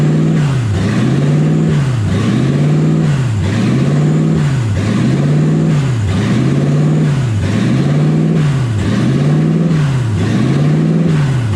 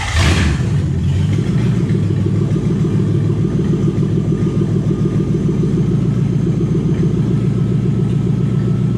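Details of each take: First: 1UZ V8 swapped Ford Falcon on first drive, warm (temperature about 160, radiator warm), smoke from manifold wrap: idle revs hunt high and low about 45 times a minute, never settling; owner unsure of cause, idle air valve stuck open. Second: Toyota 1UZ V8 in a Ford Falcon after a part was cleaned with carb cleaner and refitted (owner suspects it was stuck open): brief start-up burst, then smooth, steady low idle with no hunting; normal idle.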